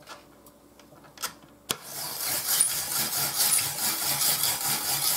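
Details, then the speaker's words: Ibili five-blade manual rotary shredder slicing potatoes after vegetable/olive oil on outside of drum: dry uneven rasping, no squeal; previously squeaked all through 8 lb of potatoes, now runs quiet. "no squeaky so that oil that vegetable oil olive oil on the outside thing made a difference cuz all day yesterday when I did that whole it was 8 lbs of potatoes thing squeak the entire time like the first one did it's not doing it now"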